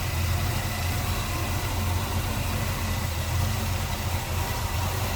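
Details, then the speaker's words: 1966 Chevrolet C10 with headers, tidy clean V8: deep even rumble holding steady idle, no misses, knocks or ticks; sounds good, healthy idle. "sounds good no doubt about that"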